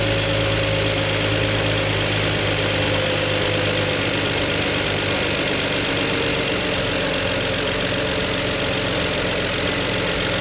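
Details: BMW 335i, twin-turbo N54, abandoned car that died and wouldn't start, after replacing the failed high-pressure fuel pump: steady, even idle with a busy high-pitched injector tick, no stumble or misfire; running healthy now.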